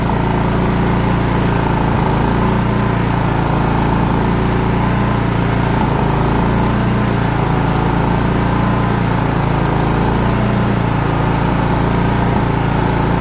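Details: DR all-terrain mower with Kawasaki FV420V engine, revived after sitting for years; carburetor jets cleaned with brake parts cleaner without removal. Steady, even note at constant speed with no surging or misfires. Runs smoothly.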